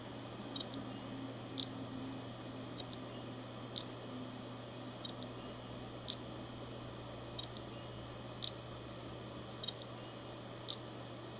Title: Hard Disk making weird noises